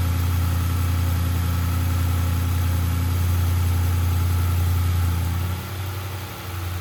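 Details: Audi RS6 C7 twin-turbo V8, first start at idle after engine removal, teardown and repair for misfire and rattle (fault found behind timing cover): deep, steady, even idle settling smoothly with no stumbles or skips; normal idle, misfire gone.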